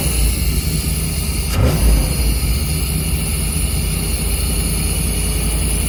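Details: 1990s Chevy 350 5.7 V8 campervan idling after replacing fouled spark plugs and cleaning ground wires: low, steady rumble holding an even idle after one brief clack, all cylinders firing; owner thinks it idles too hot, may adjust timing.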